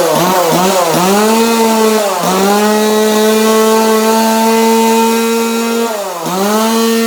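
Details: 2002 Husqvarna 136 chainsaw after new carburetor install and tune, sandblasted muffler with extra vents cut; clean steady high buzz dipping and picking up crisply with throttle blips, no hesitation or bogging; running healthy.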